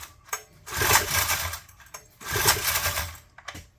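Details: Honda EM400 generator started for a test run: short uneven bursts with near-silent gaps instead of a steady note. It runs erratically; the governor is functioning and the carburetor throttle moves, cause unconfirmed.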